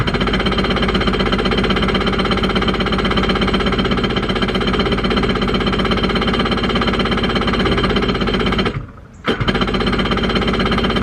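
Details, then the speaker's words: Dumpster jetski that sat about two months and won't run, cranked on the battery before removing the air filter: fast even chugging about four beats a second, a pause, then more; turns over but never catches. "okay so i got the battery in and i'm gonna try and crank it up with the battery the way it is before i take the air filter off"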